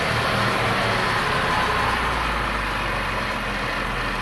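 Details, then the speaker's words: 2015 Land Rover Range Rover 3.0 HSE Supercharged, idling after head gasket work and coolant refill; steady, even idle with smooth low hum and faint supercharger whine, no knocks or misses. A cracked coolant pipe seam is leaking during warm-up. Normal idle. "Nice and calm and easy. So anyway, it's ready to rock and roll."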